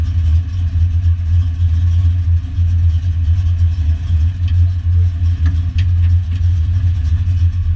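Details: Foxbody Mustang V8 notchback on Holley Terminator X EFI and custom wiring, after idle screw and fuel table tweaks, warming up: deep steady burble with slight rhythmic lope, no knocks or rattles; running smoothly.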